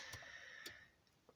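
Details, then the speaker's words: Mazda 626 GF with added MPS-style gauges, ignition on: faint irregular clicking from the flasher relay, caused by electrical noise from the new gauges. The planned fix is a small capacitor. "now to the fixing part you hear that clicking does the flashing relay it's just clicks when those are installed because those are too noisy that is problem number one"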